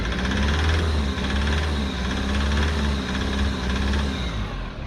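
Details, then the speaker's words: Foton Tunland diesel idling with an uneven heavy rumble, sharp repeating knock and visible smoke, despite a cleaned tank and injectors refurbished (two redone twice); diesel knock from a faulty injector, replacement injector awaited. "yep that's a diesel knock usually caused by faulty injector so even after I cleaned the tank out even after I refurbished the injectors twice well only two of them had to be redone twice we still have a diesel knock"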